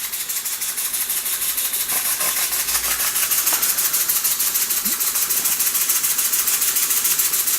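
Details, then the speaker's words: Empire 92 model steam engine, running on steam after its open-circuit heating element was repaired; boiler possibly slightly overfilled. Quick, even hissing chuffs about three per second, holding a steady beat: normal running. "Yep, it does appear to be working. Amazing. I think I might have overfilled the boiler slightly too much. But it's definitely running."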